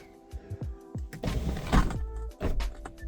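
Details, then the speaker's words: Ford F350 Platinum Ultimate panoramic sunroof (same unit as 2015+ F-150): motor whirs in short bursts between sharp clicks, clunks and a pop as the glass binds and jams; cracked rails appear to be the cause, and seals are to be greased. "So, they all came with the same sunroof and they all have this problem which appears has happened to mine is the rails crack and cause this to"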